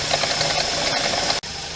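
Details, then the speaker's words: BMW E46 N42 petrol engine at cold idle after air pump switches off: quick rhythmic clacking from drive belt area, quieter after minutes; tensioner replaced, alternator or its pulley or shorter 1870mm belt suspected. "When it's cold, there's some noise, so we can start the car. You hear the noise, the clunk, clunk, clunk."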